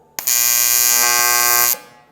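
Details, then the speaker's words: Arccaptain T200P TIG welder on aluminum, AC square wave at about 120 Hz: steady harsh high-pitched buzz holds evenly about a second and a half then stops; normal AC arc, pitch audible. "Exactly, and you can hear it. You can hear the pitch. Now you can actually hear the weld."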